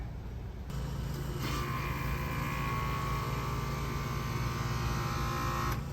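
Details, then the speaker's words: HVAC condenser fan motor, customer reported the fan running slow: steady electrical hum with a thin whine and no blade whoosh. It draws 1.7 A but does not turn; seized, failed condenser fan motor. "1.7 it's not even turning so you got a bad condenser motor"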